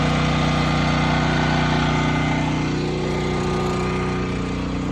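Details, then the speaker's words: Westinghouse WGen9500 DF generator, freshly broken in, running a 4-ton AC plus kitchen circuits without soft or hard start kit: steady, even low drone holding speed without strain; normal under load. "is running my 4-ton AC. No soft start, no hard start, among other things. And she really kind of took it like a champ."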